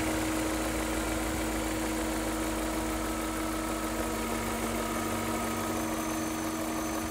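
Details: BMW E39 M5 at idle after oil change and replacement of oil separators and upper hoses (done for black exhaust smoke): steady low hum with a light, even rattle and no rising knock; judged its normal sound, no problems.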